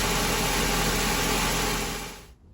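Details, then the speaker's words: 2006 Ford Ka just restarted after cleaning and re-gapping spark plugs and checking leads: small four-cylinder running steady and even at idle for a couple of seconds, no misses. Normal idle. "There we have it. Lives to fight another day."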